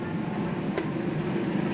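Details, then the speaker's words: Window aircon fan motor (drives the condenser propeller and the evaporator) after bearing replacement: steady, even low hum with no rumble, rattle or scraping; the earlier noise is gone and it runs smooth and quiet. "Hoy, hindi na siya maingay. Kita niyo ba, wala nang ingay, di ba?"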